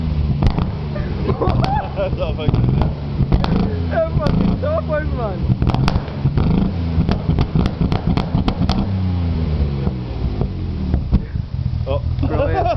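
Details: Ford Sierra XR4x4 twin turbo: uneven revving with sharp, irregular pops and cracks from the exhaust, some with flames, over a lumpy engine note; misfire with exhaust backfire.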